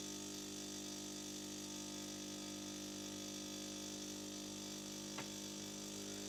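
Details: After repair, the fixed espresso machine brews a double espresso from beans in the hopper with a quiet, even mechanical hum, no knocks or rattles: a normal, healthy brewing cycle.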